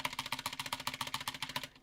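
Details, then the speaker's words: Cherry MX switches with zero lube: fast, sharp keyboard clacks with a hollow, ringing rattle from the unlubricated switches and stabilizers. "horrible horrible horrible all it needs is lube all they need is lube all it needs is lube"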